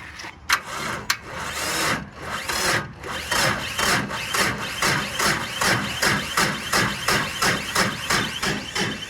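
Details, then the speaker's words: Tractor with a battery believed less than a year old but in bad shape: sluggish, labored cranking at about three strokes a second that never catches. It is not turning over fast enough to start, and the owner wants a new, better battery. "Is that going to start? I don't think so. It's not turning over fast enough. I'm afraid."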